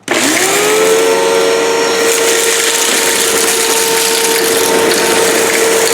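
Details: 2005 China-made Hoover Wide Path Preferred U5018-900 upright vacuum, 12-amp motor, test run on floor with debris: motor spins up fast to steady high whine, even pitch, airy rush, no grinding or rattle; normal running.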